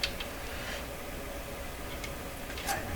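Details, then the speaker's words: Telefunken 504 record player changer: light, regular ticking in a quiet room while the mechanism cycles, but the main arm does not move despite the spring pulling it; owner suspects it is pinned by lubrication problems. "it's moving right back to this one again that's this main arm here why would everything be moving but this are not"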